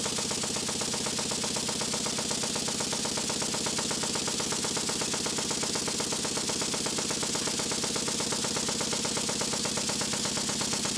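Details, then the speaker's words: Restored Stuart beam engine on low compressed air after fitting a silicone O-ring piston and adjusting slide valve timing: soft even chuffing about two and a half beats a second, no knocks; running well. "that seems to be running quite well"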